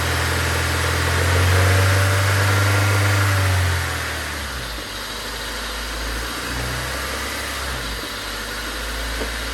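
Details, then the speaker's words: Honda Civic four-cylinder, after a track day with a heard knock, radiator fan failure and burst coolant line, mic on tripod inside the car: settles from fast idle into steady even idle, no bottom-end knock; normal idle, engine still considered hurt. "since this is not knocking that means that we could we still have a good engine"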